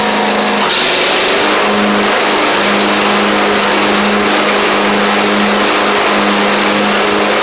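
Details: Craftsman YT4000 riding mower getting an engine swap (original 24 hp Briggs ran low on oil): small single-cylinder engine holds a steady, even hum with no knocks, misses or surging; runs pretty good, normal running.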